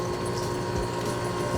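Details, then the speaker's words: Ice cream batch freezer churning Cookie Monster ice cream base: steady dense motor drone with even hum; as the cream thickens the motor works harder and the tone changes. Normal running. "because the cream is getting thicker the machine and the motor works harder so it you hear the tone change in the machine and so I know and there's a little rattle if you're a Tink Tink Tink Tink Tink"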